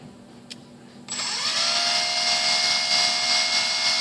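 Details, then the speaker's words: E-flite UMX P-51D BL brushless motor modified to run on a 3S battery, bench throttle test: the motor spins up sharply after a second into a steady, bright, high whine that holds even, a clean and healthy run-up. "just need to make sure nothing's going to get blown away cuz it does make quite the racket"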